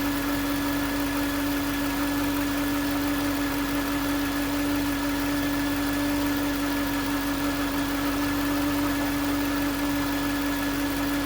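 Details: 2009 Range Rover Supercharged 4.2: steady high-pitched whine above engine noise; listening on the alternator housing confirmed the alternator as source, no engine codes; alternator replaced.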